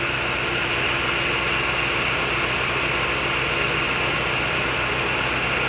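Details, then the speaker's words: Chevrolet Agile that arrived misfiring and shaking at idle despite new coil, plug wires and spark plugs, after timing belt adjustment checked with an oscilloscope; now a steady, even idle with no stumbles or misfire. "O carro parou de falhar. O carro parou. Não falha mais, não tem fraqueza, certo?"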